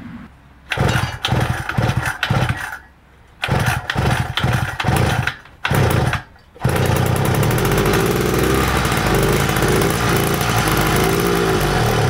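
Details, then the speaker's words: Shift Kit mud bike with Chinese carburetor, air filter fitted: six or seven short cranking bursts that never catch, then steady drone; crank no start, owner suspects carburetor not working, cause unconfirmed. "I swear this carburetor isn't doing anything anymore."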